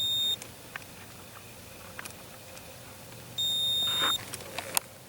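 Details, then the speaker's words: 1982 Camaro horn circuit, after sitting two decades. A jumper wire runs from the relay socket to the connection, and the continuity tester gives one short and one held beep. The relay-to-connection circuit is good. "so that's good which means a relay to that connection is good"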